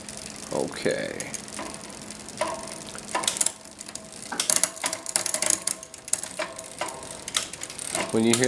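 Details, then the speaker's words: SRAM rear derailleur after adjustment: freewheel ticking with chain clatter lingering after each shift. The shift is sluggish and the cable needs a slight further tightening. "that kind of sluggishness that's definitely an adjustment you there so tighten up just a little more and come back down"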